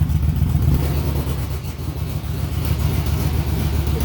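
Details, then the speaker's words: 2006 Yamaha Vmax, liquid-cooled 1198cc DOHC 16-valve 70° V4, just started, idling without pulling the clutch: a deep, lumpy burble of strong, steady, even low pulses through a loud exhaust, like a dragster on the line; healthy idle. "It sounds like a dragster sitting on the line. Just got that nasty idle."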